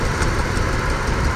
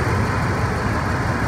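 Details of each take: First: 1999 Ford Expedition 4.6L V8 idling with an uneven loping beat, about three stumbles a second, misfiring on cylinder 5 with no misfire code after a customer tune-up; injector on number five found at fault, plugged back in. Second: 1999 Ford Expedition 4.6L V8 after fixing the cylinder 5 injector fault that caused a misfire without a misfire code: smooth, even idle with steady low rumble, no stumble or missing beat; normal idle.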